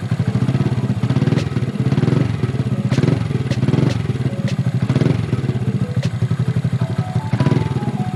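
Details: Honda Grom single-cylinder engine with a newly installed cam, valves just adjusted to stock clearance, warm idle: a quick, even putter with music in the background and no ticking or knocking standing out.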